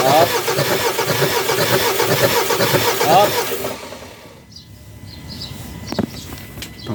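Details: 2014 Ford Ranger 2.2 engine that won't start: turns over steadily for almost four seconds, then goes quiet without catching; cranks but no start.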